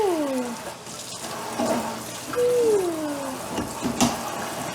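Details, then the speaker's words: New kitchen faucet just installed, flowing while the handle is swung from hot to cold to purge air from both lines. Soft running water with sliding whistly tones as the air clears; the noise is expected and flow is normal. "It's supposed to make that noise. All right, go adjust it from hot to cold, just to get the air out of both sides."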